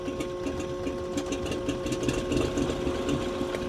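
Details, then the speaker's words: 1983 Beechcraft Bonanza B36TC after sitting about 13 years, restarted at full rich: slow, loping idle at a couple hundred rpm with a light steady ticking and no misses. Healthy idle with good oil pressure, alternator charging. "awesome it like literally it is just sitting here I laying at like a couple hundred RPM"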